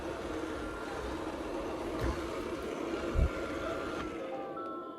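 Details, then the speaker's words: Vileda VR302 robot vacuum after replacing the wheel module to fix error L001: steady fan hum, faint whine and one soft bump as it turns away from a blocked path. It runs normally again. "As you can see, it's turning around and it's working as it should again."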